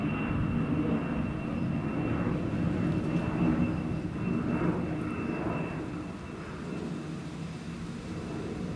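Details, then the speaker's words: Cessna 560 Citation jet departing Cambridge UK heading southwest; climbing roar fading with a thin steady high whistle over it; unusual engine noise on takeoff, cause unknown. "alright that just took off from claims Airport heading Southwest and then as you had made a bit of a strange noise from the engine"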